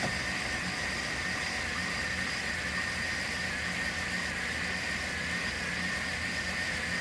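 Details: 1993 Chevy G20 van, 5.7 L V8, after a crank/no-start, no-spark, no-fuel problem; timing being set by ear with the distributor base bolt loosened; steady even idle with a constant faint whine, no misfires or knocks; smooth normal idle.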